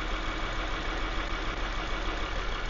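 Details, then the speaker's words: Six-cylinder engine with ignition coils unplugged one at a time to test: uneven, lumpy idle, shaking and misfiring more with each coil disconnected, stumbling low beat. "Si se fijan, ahí empezó a temblar más y a fallar más."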